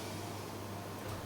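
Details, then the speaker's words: Dell 9020M mini PC Minecraft server, new replacement CPU fan at about 3,600 rpm with the CPU near 67 degrees: soft, steady airy whoosh with faint hum, no rattle, ticking or bearing growl. Normal, quiet fan at high speed. "can i hear it not really i can't hear this fan hardly at all running about three and a half 3.3 3.4 yep three and a half thousand rev so it's 3600 rpm"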